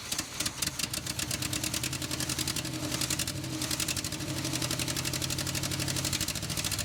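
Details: 1970 Chevrolet K10 4x4 pickup, scrapyard truck abandoned 26 years: lumpy V8 idle with uneven pulses, some beats weaker, loping rhythm pointing to a miss; cause suspected, not confirmed.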